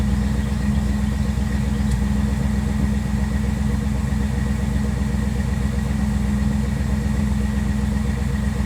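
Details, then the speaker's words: 1957 Chevrolet Bel Air engine restarted after a Seafoam top engine cleaner soak for a bad idle misfire: steady, even low rumble at idle with no stumbles, possibly with some blue smoke still burning off; the misfire sounds gone. "All right, let's go take a look. Sounds like it's gone."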